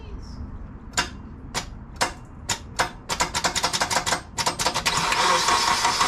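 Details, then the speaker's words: Turbo K-series Honda Element with new intake manifold and billet throttle body, first start: cranks in uneven bursts, catches, then idles with steady hiss from an open vacuum port; no idle air control valve fitted, check engine light on; intake vacuum leak. "we fired the car over with the intake manifold everything sounded good other than the vacuum leak which is right here and we don't have an outer air control valve so we have a check engine light"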